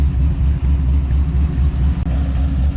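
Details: LS-swapped LSG62 sedan dad wagon on its first test drive, heater already blowing hot: deep, smooth V8 rumble on the move, with even pulses rising gently with throttle and no knocks or misses; normal running.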